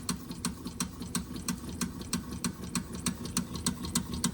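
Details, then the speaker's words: Wilesco D6 toy steam engine fired by old, crumbled solid fuel tablets, likely giving a low flame; light regular chuff-ticks about three per second, running below full speed, probably slow from a weak burner flame. "I used the the solid fuel tablets and most of the solid fuel tablets I had in there were quite old. And so it's it's quite possible that the flame's quite low"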